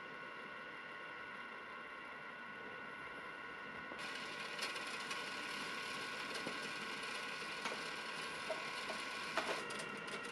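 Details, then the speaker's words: New-generation compact cassette being rewound in a deck as a shell test, where a good shell should stay silent; faint whirring hiss with light irregular ticking; noisy cassette shell on rewind. "मुझे याद है कि cassette tape का परीक्षण करने का सबसे आसान तरीका बस इसे रिवाइंड करना है आदर्श रूप से शेल असेंबली को रिवाइंड के दौरान कोई शोर पैदा नहीं करना चाहिए"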